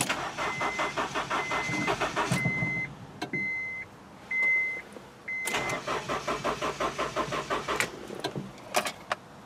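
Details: 2000 Honda CR-V, new battery, fuel pump, fuel filter and distributor fitted: two spells of rapid starter cranking with chime beeps between, engine never catches; crank-no-start, cause not found.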